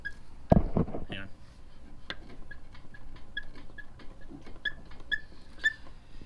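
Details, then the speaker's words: 1991 Cadillac DeVille on likely original struts, parked body rocked: short high rubbery squeaks about twice a second from a worn upper strut mount, which also clunks over bumps. "all right so that squeak is bad the strut does move in here and it makes a horrible clunking sound"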